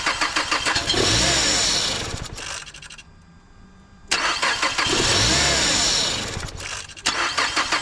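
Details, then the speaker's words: 2011 Mazda CX-7 just after installing a used engine, coolant added and burping: engine cranks, catches quickly and settles into an even steady run, stops and restarts cleanly with no knocks or rattles; sounds good, though codes present. "no idea sounds good though"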